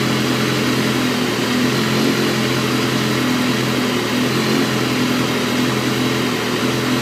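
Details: Stock 2012 S1KRR idling: steady four-cylinder hum with a faint wavering, unsteady note underneath; rough idle, cause not yet found.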